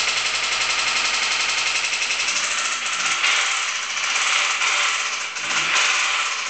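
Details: Honda D16Y8 petrol engine running with a rapid, hard metallic rod knock hammering steadily throughout.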